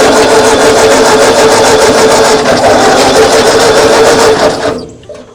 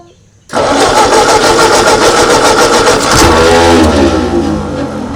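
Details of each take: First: 1939 Ford tractor that sat in a field 20+ years, old fuel line refitted: starter churns at a steady rhythm, about three beats a second, for several seconds without catching, then stops. Coil hot wire confirmed live. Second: 1939 Ford tractor, 20+ years in a field, hand-choked with throttle at its lowest: cranks and catches within half a second, runs evenly, then revs sag smoothly as the throttle comes down; runs briefly, running normally.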